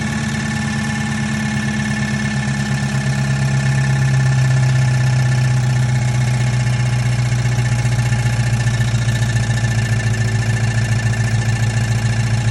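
Steady, fairly quick tapping under a low, even V8 idle rumble, holding its pace throughout; a knock whose source isn't pinned down yet. Cause suspected, not confirmed.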